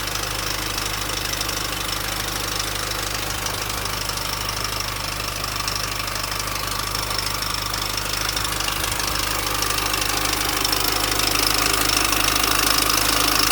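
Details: 2004 Mini Cooper S R53 facelift, 109k miles, at idle: steady fast metallic rattle from the engine front; established timing chain noise, owner suspects the chain has jumped and the front guide is possibly broken.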